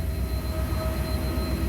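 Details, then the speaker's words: 1991 Chevy K3500 4x4 dually, 454 7.4 L fuel-injected V8, about 140,000 miles, warm after a drive: starts right up with good oil pressure, smooth even rumble with a faint whistle that stops with air cleaner on; normal idle. "starts right up by good oil pressure the temperature i was just after a drive earlier the temperature's coming up that's good to see"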